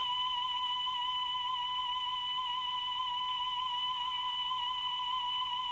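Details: Repaired Grundig Stenorette 2070 Steno-Cassette dictation machine playing a test tone: steady high pitch with only slight waver. Speed is within a couple of percent, so playback speed is fine for dictation.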